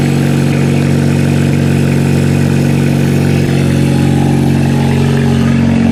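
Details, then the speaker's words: Kia demolition derby car ("Killer Kia"), gas tank from another car fitted, battery wired to a toggle switch: fuel pump heard priming, then it fires right up and holds a smooth, steady petrol idle with even pulses, running like a car; normal idle. "You can hear the fuel pump. Fire's right up. Like a car."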